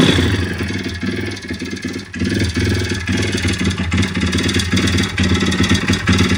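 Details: YX-1 160 four-stroke single: uneven sharp knocks clatter through the beat, coming and going as revs rise and fall. Fully rebuilt with valves adjusted; small piston-pin play, no conrod or cam play, but the cam came out easily with its bearings; slight ringless piston play. Cause unknown.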